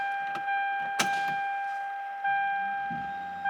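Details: Fuelab brushless fuel pump newly installed in an MK4 Supra with Haltech, priming at key-on with prime set to 50: steady, clear mid-pitched whine with light clicks, even tone, no rattle; normal prime, pressure drop normal with check valve.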